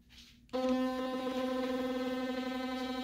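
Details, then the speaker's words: Philips Sonicare FlexCare Plus toothbrush, about a year old, switched on while lying on a table. After a brief rattle, a steady loud buzzing hum with a rough edge as the handle bounces around; the internals are unbalanced and the unit is defective. "And you can see it's doing this crazy rotation dance. That means the brush head is not balanced. Like the internals is not balanced well, and it's going all over, which is definitely not good."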